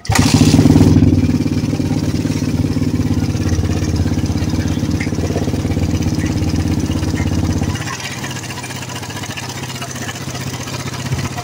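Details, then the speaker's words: Suzuki Satria FU150 motorcycle with a noisy front of engine, before teardown: starts and settles to a fast rough idle with dry metallic clatter; cam chain found badly slack despite automatic tensioner, camshaft also worn. "Berarti memang benar ya tadi untuk bagian ketengnya sudah kenor parah."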